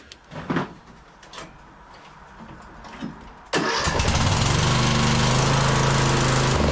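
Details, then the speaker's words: Briggs & Stratton single-cylinder engine on Troy-Bilt Bronco lawn tractor, in snow and cold, after muffler fix and new spark plug: catches and holds steady fast idle but runs only on choke; carburettor suspected. "well it actually sounds like it's running better the muffler is definitely fixed uh but it's only running on choke so that's a little bit of a development"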